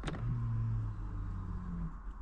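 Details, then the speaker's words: Vauxhall Insignia electronic parking brake, applied via diagnostic tool after pad and disc replacement and calibration: a steady low motor hum of about two seconds as the rear caliper motors wind on and stop; normal apply. "now what we got to do is activate the parking brake press on the"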